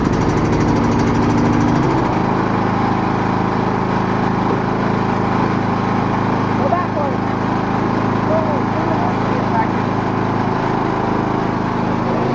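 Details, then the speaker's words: 22 hp Briggs & Stratton V-twin riding lawnmower, on grass: engine note drops and steadies as blades engage, then a constant loud fan-like whir, much louder with blades on; normal mowing under load. "that is so loud it's way more loud when the blade goes on"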